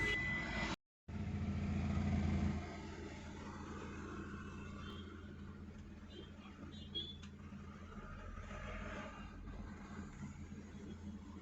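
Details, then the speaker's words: Hyundai i10 Grand push-button start, after repair (intermittent start/no start, engine shutting off, immobilizer code): starts on single crank, warning lights now correct; quiet even idle hum, no misses or knocks; normal idle. "put on the push button and look at here with a single self car started now see the security and engine light both are displaying properly before they were indicating improperly"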